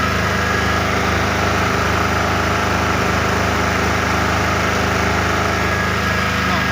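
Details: Small genset held unloaded during a mains (PLN) power cut until output reaches a normal 220 V; steady even drone, no hunting or misses. Normal idle.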